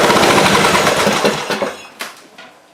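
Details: Old Craftsman riding mower, not run in a couple of years, started on a charged battery before an engine and deck swap; engine and deck run with a loud, steady rattling drone and sound good.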